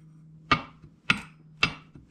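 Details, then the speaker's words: 1927 Ford Model T engine during assembly, crank refitted in babbitt main bearings: four sharp metallic clicks as crank is pushed back and forth, measured about 0.020 in end play versus 0.004 in maximum; excessive crankshaft end play. "crank moves back and forth if i pull on it a little bit you can hear it clicking so i measured that that's about twenty thousandths and play back and forth the maximum is supposed to be four"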